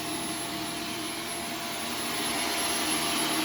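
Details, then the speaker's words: Vacuum on carpet mode picking up Arm & Hammer vacuum booster powder: strained, hissy, high-pitched whine with little low body that sounds starved of airflow and choking; clogged vacuum filter. "it already sounds like it's clogging up"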